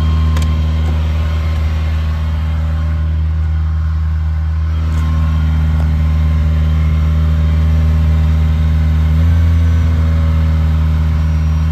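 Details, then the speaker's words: Cold 1980 Ferrari 308 GTSi under recommissioning: steady raised idle with an even hum and a slight pitch shift near the end. It rose to the mid-to-upper teens and came back down; a normal warm-up idle. "So while I was talking, I don't know if you heard, but she got herself up into a little bit of a high idle. She got into the mid to upper teens and then kind of came back again."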